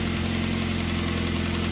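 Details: 2004-2008 Ford Focus petrol engine idling smoothly with steady hum, no squeal, chirp or bearing whine, after belt, idler pulley and tensioner pulley replacement. Normal idle.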